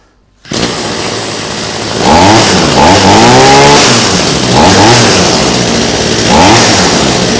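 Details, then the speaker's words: Cheap flea-market two-stroke hedge trimmer with a suspected fuel issue: small engine buzzes up from a steady idle into crisp repeated revs and drops back cleanly, running fine on its brief test. "yeah just as I figured it's it seems to be running just fine for what I can yeah I don't know what 10 seconds is worth"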